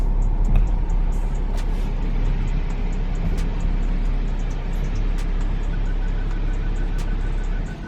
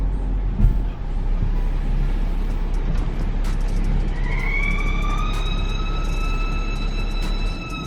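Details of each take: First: BMW N55 in F15 X5, bought at 97,000 miles, after replacing the valve cover and its PCV valve, pulling into the garage with start-stop enabled: steady low engine hum, no squeal at stops, whisper quiet; normal running. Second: BMW F15 X5, N55 engine, bought at 97,000 miles: low road rumble, then a high steady howl rises and holds as the car slows to a stop. After a valve cover replacement the squeal is quieter but still present.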